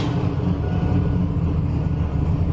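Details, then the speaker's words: Turbo car just after boost turned up (14 lb spring) and a new tune loaded: heavy cranking rumble with a thin whine over it; the starter gear isn't meshing right and still needs another shim. "still need to put another shim in the starter too you can still hear it whining"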